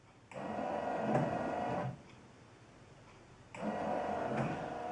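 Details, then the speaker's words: 1974 Chevy Nova with an aftermarket 12 V wiper timer module on the low-speed wire, fast setting (every 3 seconds). Motor whirs about 1.5 s, pauses about 2 s, sweeps again; normal intermittent wiper operation. "is working like a charm."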